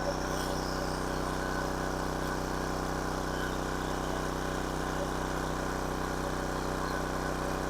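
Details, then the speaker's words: King Canada 1500 W generator, Chinese engine, running a hair dryer between medium and high: steady fast drone with even buzz, no hunting; running too fast at 76 Hz, governor spring tension set too high. "it's a little high 76 htz see if I can turn it down a little"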